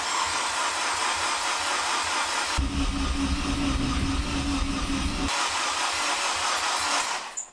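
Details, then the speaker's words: K20A2 K-swapped Acura RSX, first crank with the fuel pump and coil packs unplugged, turning over only to prime oil: a steady starter churn with a low droning hum that never fires. The high-pitched noise is suspected to be the belt. "So, there will be no fuel, no spark, just a bunch of rotating parts getting lubed up. And then we'll be good to see if it starts up."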